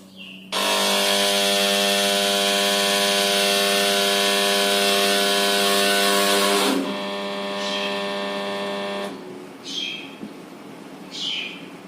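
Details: LG S-05LPBX-R air conditioner: a loud, harsh electrical whine bursts on, holds about six seconds, then drops away as the compressor fails to start.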